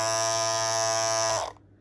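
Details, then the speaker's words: Andis Masters cordless clipper after a few months of use: a harsh, high, steady buzz, much louder than a second unit. The owner suspects the part that pushes up on the bottom blade. "this is kind of loud but not as loud but i haven't messed with it yet but this one is like super loud all right you can hear that"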